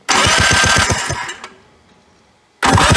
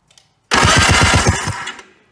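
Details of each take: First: 1991 Polaris Trail Boss barn find, sitting 28 years, jump-started during a spark test: two short cranking bursts with quick, even compression pulses and no firing; no spark because the kill switch was off. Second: 1991 Polaris Trail Boss, 28 years stored in chicken coop, jumped dead battery, spark confirmed, before fuel added: brief crank about a second, fast even chuffs near eight per second, no firing; normal cranking.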